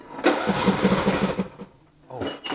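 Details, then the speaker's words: John Deere D110 mower after blade belt replacement, spark plug lead left unplugged: steady cranking chugs, about six or seven a second, no firing, second try also fails; won't start until the plug lead is connected. "that reminds me, don't forget to plug in your spark plug. Your mower won't start. Kind of like that."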